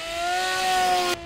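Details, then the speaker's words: BULLET v9.0 RC trainer plane, pusher motor and prop between twin tailbooms, lighter with better CG: clean steady high whine held at full throttle then easing cleanly; normal full throttle, now using whole throttle range. "much better much better like we were wasting the whole uh top end of your throttle"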